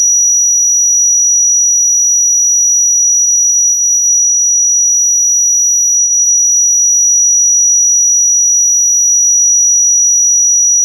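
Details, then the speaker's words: Defective class D amplifier, faulty out of the box, fed a 10 kHz tone from a tone generator: high steady tone with a faint, ugly pulsing beat riding on it; heterodyne beating from switching noise distorting the signal. "listen to it I know many guys can hear the beating but it's pretty ugly the beating sound between the the 10 kilohertz signal coming"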